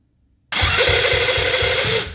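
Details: Roughly 125–140cc scooter standing unused for about three years: high starter whine with about four compression thumps a second, no firing; cranks but won't start, carburetor to be removed and checked, cause unconfirmed.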